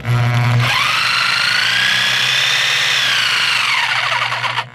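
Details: DeWALT DW309 corded reciprocating saw, broken: a steady, high motor whine holds pitch with no rhythmic blade stroke. The motor runs and sparks, but the blade holder does not reciprocate. The internal cause is unknown.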